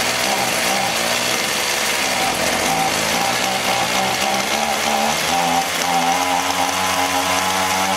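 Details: Echo HC-1600 hedge trimmer, long unused, running after carb work: steady high two-stroke buzz with a slightly hunting note; running lean, so the hidden high-speed carb screw needs opening about half a turn, then idle may need resetting.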